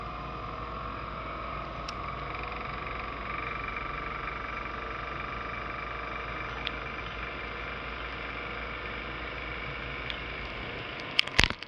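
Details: Laptop CPU fan: steady, high buzzing whir with a wavering vibration tone at constant speed, as the worn fan bearing rattles.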